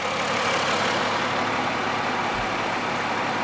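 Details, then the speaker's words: 2006 Ford 500 after fuel filter replacement (dirty filter caused highway stall and fuel rail pressure sensor code; new sensor didn't help): steady, even idle, smooth hum, no stumbles or surging; running normally. "so here's our ford 500 it's a 2006 as you can hear it's running perfectly fine now but because of the dirty fuel filter the car stop was going up the highway stuttered and then just start"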